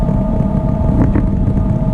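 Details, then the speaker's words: 1987 GMC Vandura van driving down the road: steady droning hum like an airplane taking off, above the tyre rumble, louder with speed, no vibration; owner suspects the rear axle bearings, not confirmed. "And this thing is making the same type of noise. It sounds like an airplane taking off going down the road."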